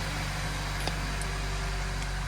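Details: 2017 Honda Civic after misfire repair, code clearing and steering sensor calibration that cleared check engine, VSA and skid warning lights: quiet, even idle with a smooth steady hum and no skips or shakes; engine sounds healthy.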